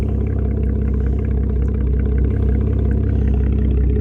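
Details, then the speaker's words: 2012 Camaro after radiator repair, microphone held by the exhaust: deep, steady idle burble with an even beat, no misses, ticks or rattles; no codes. Normal healthy idle. "Get this microphone by it. Thing sounds good."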